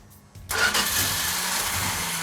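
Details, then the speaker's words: Newly built 1972 Plymouth Duster 340 V8 on first start, cold: quiet, then the starter churns with a steady whirr but no firing beats; cranking without starting because there is no fuel yet, cranking to let fuel pressure build. "hey mark it's not firing well there's no fuel in it it's i was just going to crank it and let it build"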